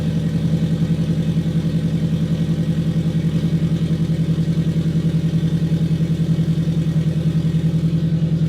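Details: Custom turbocharged FRS boxer engine, warm and revved a little, after fixing a large exhaust leak from an unsealed pipe gasket: steady, evenly pulsing note with no puffing or ticking; sounds healthy and sealed.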